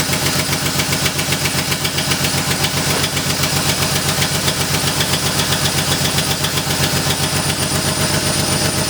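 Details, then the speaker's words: Crashed BMW E36 at cold idle after exhaust work: a quick, steady puffing tick nearly four per second over the exhaust note; the header was not tightened properly and the manifold joint still leaks. "all right guys so as you did here the car is still doing the like so exhausting somewhere I did not do the header like tighten that properly"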